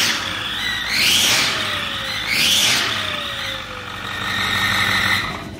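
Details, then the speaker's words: 2008 Ford F-550, 6.4 diesel, new turbos fitted: a high whistling whine that gets louder on acceleration, rising and swelling with each rev, from an exhaust leak caused by a broken exhaust bolt. "Okay, so we already found the problem, and it's gonna be an exhaust broken bolt. A broken exhaust bolt."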